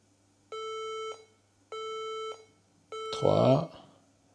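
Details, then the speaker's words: HP EliteBook 840 G3 laptop that won't start, beeping at power-on: three long and two short beeps, a POST code looked up online as often a memory fault. "donc on voit qu'il fait trois bips longs et deux bips courts donc souvent ça faut pas chercher longtemps"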